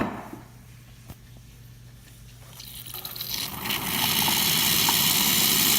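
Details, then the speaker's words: Isomac Millenium espresso machine after full service, drawing hot water until the level drops below the water level sensor: low steady pump buzz, then rising rushing hiss as the boiler refills; normal autofill cycle. "Hoping to empty enough water where you can hear the pump activating because the water dropped below the water level sensor, and now it's reactivating the kick on to replace the water that we have displaced."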